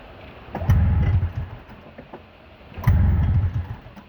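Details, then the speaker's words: Snowmobile, repeated start attempts after sitting overnight: two bursts of firing, each stalling after about a second. Starts then dies; cause still unknown. "Starting to hate this now. Oh. Come on, you're running for a second."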